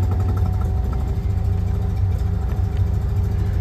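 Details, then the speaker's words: Classic car with BlackBox 3 programmable ignition at idle: after reducing the programmed vacuum threshold so vacuum advance cuts in at tick-over, the idle becomes a low, steady, even firing beat with no stumble, noticeably smoother. "so now you can hear or you can see well you can see and here the vacuum's cut in and the car's ticking over quite a bit smoother"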